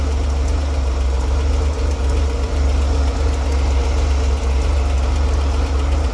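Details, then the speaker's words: Chevrolet Corvair while adjusting distributor timing: deep, uneven idle wavering and dipping every second or so; engine runs worse as timing mark nears spec, possible incorrect installation suspected, not confirmed. "right so as you saw there the closer the mark got it was about here before closer the mark got to the actual where it's supposed to be reading in between yeah the worse the engine ran"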